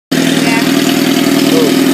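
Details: 1997 Suzuki GSXR 750, 19k miles, idle: steady inline-four with fine quick top-end ticking on top; owner suspects valve adjustment and cam chain tensioner needed, unconfirmed.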